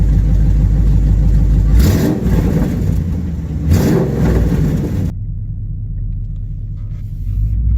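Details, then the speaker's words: Dodge Challenger R/T 5.7 V8 just fitted with BBK long-tube headers: deep rumble with two quick revs and a sharp raspy edge; exhaust leak at the clamps, which need fixing. "oh yeah exhaust leak alright gotta fix those clamps I can hear it till tomorrow clamps got to be fixed first just straight exhaust leak"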